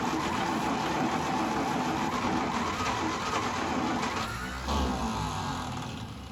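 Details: 1952 International Harvester L112 barn-find engine, cold coil, spark confirmed at plugs, extra fuel given: uneven ragged cranking that nearly catches then fades without running; a belt broke during cranking.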